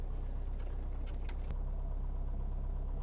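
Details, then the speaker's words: 1977 Mercedes-Benz 240D W123 diesel, slightly cooled, idling at about 500 rpm with oil pressure 45: low, slow, even clatter with steady rhythm and no odd knocks; smooth, healthy idle. "this is the idle control you can hear that it is down at about 500 RPMs there and this is about where I like to keep it right there and if the car is cold you can raise the idle"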